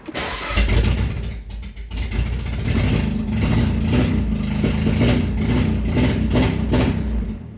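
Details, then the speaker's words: 1989 Nissan 240SX, near-factory car: cranks and catches, then runs rough with uneven stumbles and choppy revs, still misfiring at low RPM; owner suspects fuel supply (pump sock, filters, injectors), cause not confirmed. "but it's still misfiring at low RPM."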